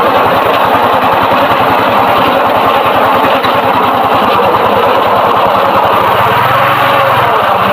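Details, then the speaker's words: Suzuki Shogun motorcycle at steady idle with a coarse, gritty roughness deep inside the engine that gets rougher when throttled; worn magneto-side crankshaft main bearing. "dia waktu pertama itu suara kasar dan kita di gas makin kasar"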